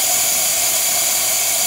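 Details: Toyota RAV4 2.0 AZ-FE with a warped cylinder head after overheating from coolant loss. The valves are closed under spring pressure during a seating test, yet a steady high-pitched hiss shows air leaking past a poorly sealing valve.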